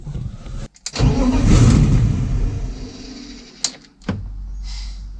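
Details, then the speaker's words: BMW E30 that cranks but won't start: the starter spins at about four beats a second for a couple of seconds and it never fires. Owner believes there is fuel and suspects the fuel pump isn't switching on. "J'ai de l'essence. Moi j'ai de l'essence en fait, je crois. En fait c'est juste la pompe à essence qui se met pas en route."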